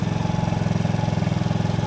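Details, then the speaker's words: TaoTao GY6 50cc Chinese scooter idling after a performance carburetor and air filter install, coil pack not yet replaced: steady, even putter with quick regular pulse, no misses or knocks; started better than before, running fine. "it's idling I mean it seems like it started better than it did before it kind of just fired right up"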